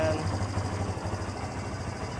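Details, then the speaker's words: Kawasaki Barako motorcycle after carburetor tune-up; it had misfired and stalled, with a white-burnt spark plug. Now in neutral, idle lowered: a low, steady single-cylinder thump with no stumbling or dropouts, idling smoothly. "So okay baba natin ng Menor mas babaan pa natin ng Menor masyado yan yan niya ang ganda ng menor ang Yumi mga so Mayumi okay okay Great job okay"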